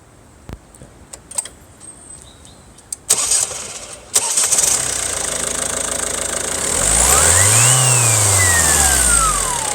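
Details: 2006 Volvo V50 D1.6 turbodiesel: on start a clear howling whine rises and falls with each rev; owner inspected most turbo hoses, source not located.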